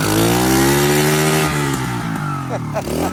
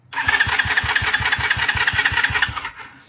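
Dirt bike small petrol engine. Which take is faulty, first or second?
second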